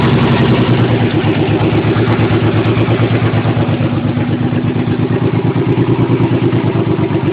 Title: 300zx running on 4-5 cylinders due to a bad injectors and old clips